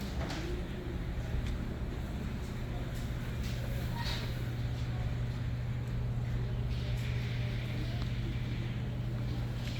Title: Bad bearing. www.goding.com